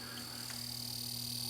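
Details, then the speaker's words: Warrior arcade machine's Vectorbeam vector monitor at power-up, interlock pulled: faint croaky chatter from both X and Y deflection axes over a steady electrical hum and high whine, but no picture. "you hear the chatter and just by the sound of that chatter I can tell that's both axes xny I can tell just by the sound so that's great we have nothing there no picture but we do have chatter"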